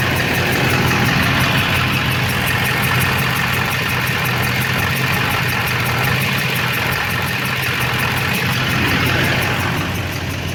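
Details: LB7 Duramax diesel with a stuck injector on the driver's side, mid injector-cleaning attempt: lumpy, uneven idle with irregular clatter; smoke is reduced from earlier but a haze remains.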